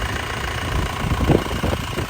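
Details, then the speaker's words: 2002 Isuzu Panther LS diesel, warm idle: steady, even clatter with no misses or shaking and no smoke. The engine is dry with no oil seepage and sounds healthy. "Mesinnya tidak goyang masih stabil tidak pincang ya biasanya kalau mesin kurang sehat itu juga pincang ya"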